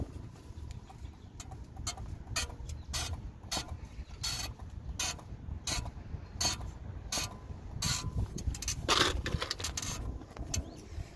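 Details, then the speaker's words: Mercedes C63 (C-class) jacked up, front pressed down by hand: sharp creaky squeaks, about one per push, from the suspension; the squeak also occurs when turning left or right and over bumps. "but it's annoying squeak squeak squeak noise from the suspension no matter if i turn left or right or up and down"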